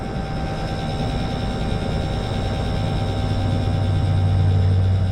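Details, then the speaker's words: Rheem Prestige A/C unit not cooling with loud noise, condenser fan motor unplugged then replugged: deep compressor hum grows as the fan motor won't come up to speed before head pressure builds; faulty fan motor needs replacing. "now it's not wanting to get up the speed you hear that compressor starting to run up yeah we got a we got a problem with our motor"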